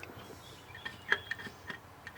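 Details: 1982 GMC C10 with a homemade propane engine setup, sat about 25 years, engine off: faint, irregular light ticks, roughly three a second, possibly a propane primer or pump feeding fuel; cause unknown.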